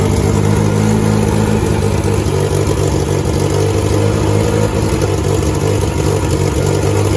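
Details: 1988 VW Polo MK2 breadvan after the carburettor refit, started and revved: a deep, puffy idle that hunts up and down every few seconds; better than before but still uneven.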